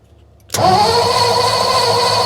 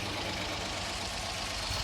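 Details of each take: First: 1955 Ford F-250 sitting outside over 40 years, spark now strong: two long bursts of steady fast cranking about three turns a second, no firing until gasoline primed into the carburetor float bowl; crank no start from fuel starvation. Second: 1955 Ford F-250 sat over 40 years, running after revival: steady even idle with smooth hiss, no ticking or knocking, sounds quiet; normal idle.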